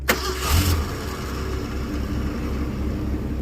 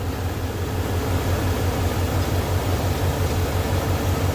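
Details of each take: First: 1981 Ford Mustang, 200 inline-six, carburettor, cold start: cranks and catches then settles straight to a low even idle, no raised cold-start speed; fast idle not engaging, rpm near the 650 target. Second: 1981 Ford Mustang, 200 inline-six, carburetor, cold start: screw on back of carb left unadjusted, idle about 1,800 RPM. Even raised idle with deep steady rumble, no stumbling or hunting; normal cold fast idle.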